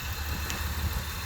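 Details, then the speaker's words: Nissan Maxima with a VQ30 V6 after installing Audi R8 ignition coils, with OBX V2 headers and 2.5-inch exhaust, heard at the exhaust: a low, even idle hum with no stumbles, misses or sputter. A calm, healthy idle. "Nice calm idle. No misfiring, no sputtering. Go to the exhaust. Nice and calm."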